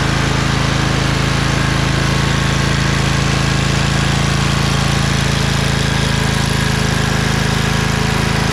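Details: Craftsman LT2000 lawn tractor repowered with a Briggs 20HP Intek V-twin, owner suspects a blown gasket on the right cylinder. After about 10 minutes with PTO under load: even, steady drone, no misses, knocks or ticks, no smoke. Normal running.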